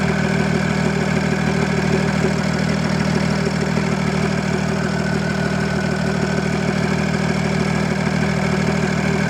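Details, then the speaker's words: Audi A6 C5 2.5 TDI V6 (AKE) after reassembly and fixing a clogged catalyst and a wrong injection angle: steady, even diesel clatter at idle; starts and idles normally, though it revs poorly because the turbo geometry is seized. "normal start up works well poorly dispersed because of the time until the machine stood"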